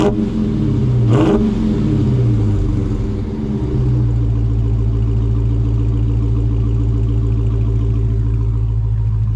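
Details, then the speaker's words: Dodge Hellcat V8 with the stock active exhaust valves fully open: a deep, loud rev that swells then settles into a steady, heavy rumble; healthy. "so these exhaust valves are open and anybody that has a charger pretty much knows what they sound like on a cold star so now these valves are all the way open and I'm going to give you some gas"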